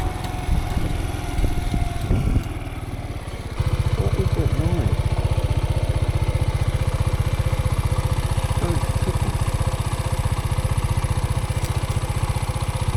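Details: Dirt bike ticking while out riding, heard at steady idle: a sharp, even tick about four per second over the exhaust beat; engine tick, cause not confirmed.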